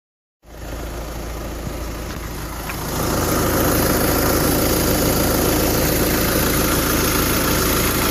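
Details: VW diesel with 29k on it gives a loud, coarse rattling drone from under the car when coasting in neutral or braking to a stop. Owner wonders about the throwout bearing; the dealer couldn't duplicate it. Unidentified noise at idle.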